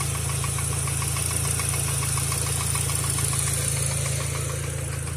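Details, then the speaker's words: VW B5 Passat first start after engine reassembly: light, even ticking about three or four per second over a steady idle, probably a hydraulic lifter, unconfirmed. "Maybe not. Should just be a hydraulic lifter making noise. Don't be alarmed."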